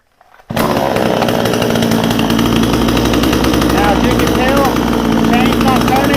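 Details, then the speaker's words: Vevor 62cc chainsaw idling. Fast, steady buzzing two-stroke idle with no surging or dying, fast enough to keep running, with the rule that the chain shouldn't spin at idle. "You know, rule of thumb is we don't want this chain turning when it's sitting there idling. We want it idling fast enough to keep it running, but not fast enough to keep this chain spinning."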